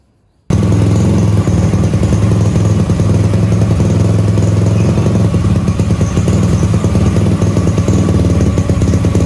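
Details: Supra X Daytona single just fitted with a new Yuasa battery after sitting long with stale fuel and a dead battery; carburetor found clean. Fires up into a strong, steady putter with even firing and no misses; running healthy.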